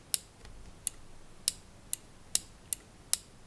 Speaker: You can hear that it makes a clearly audible click here.